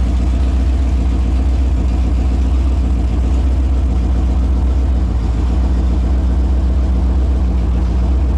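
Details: Holden 253 V8 on a bench test after freshen-up (new main and big-end bearings, honed bores, new rings, Yella Terra heads, new timing chain, all gaskets and seals): even, steady roar with smooth firing, no knocks, ticks or misses, no leaks; normal running.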